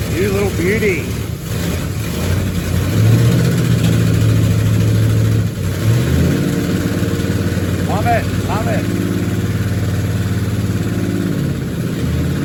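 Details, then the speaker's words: 1969 Ford Galaxie XL GT convertible, factory 429 V8 with four-speed manual, at first start after the project: loud, lumpy idle with an uneven, stumbling beat and rough exhaust bark, firing intermittently on about six to seven cylinders; misfire, cause not yet confirmed. "Actually, it's not on the cylinders. It's not. How many do you reckon? Seven. Six. It's It's probably running on It might be running on six and two half cylinders, right? Like intermittently firing."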